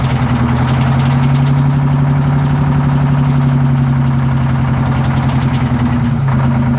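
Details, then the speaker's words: Abandoned twin-turbo Detroit Diesel 12V71 generator set, first start from field: big diesel idle with loose, uneven rattle about four ticks a second as the cooling fan hits its guard. "what's that thing rattling in the fan is that what that is that rattling noise yeah it's hitting the the fans hitting the guard"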